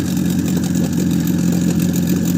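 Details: Warm outboard boat motor after sealing fuel filter air leak and carburettor re-tune (mixture two turns out) at +5 °C; steady even idle with fast regular beat, no spitting or sneezing, holding speed smoothly.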